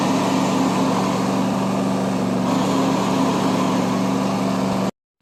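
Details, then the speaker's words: John Deere 100 series riding mower: a whirring drone from worn drive belt idlers over the small engine, loud when the parking brake is released and gone when it is pressed; fixed by replacing the idlers. "you're going to notice how the noise happens when I let off of the parking brake and then goes away when I push down on the parking brake."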